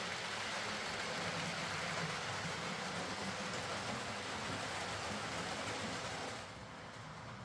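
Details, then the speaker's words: Hornby R.372 Class A4 "Seagull" model locomotive, tender drive, running after repair: soft, even whirr with steady wheel and rail clatter, no stutter or surges. Stop-start running was likely from excess axle oil spoiling pickup; the mystery noise was traced to the valve-gear parts. Runs fine and quiet. "So there we go, that's this Hornby Class A4 Seagull running fine, and as quiet as you can really expect one of these to be."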